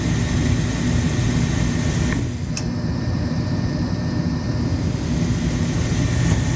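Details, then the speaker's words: Gas furnace no-heat call: steady inducer hum, a single sharp click as gas valve opens, then no burner whoosh; igniter not turning on, later found faulty igniter and faulty control board. "I can hear the gas opening but the igniter is not running sorry the igniter is not turning on"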